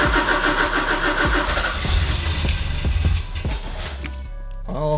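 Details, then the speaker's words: Porsche 944 cranks but won't start after fuel pump, strainer and filter replacement; starter churns with uneven pulses and near-catches. Fuses fine; jump box used; ignition seems completely dead, owner plans rewiring ignition push-button. "I'm not really sure what to do next so the ignition is dead like completely dead"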